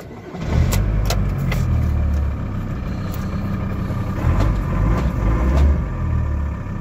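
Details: VW LT diesel (2.5), immobilizer issue being bypassed: engine catches and settles into a steady low clatter with a few sharp ticks on top; starts and runs.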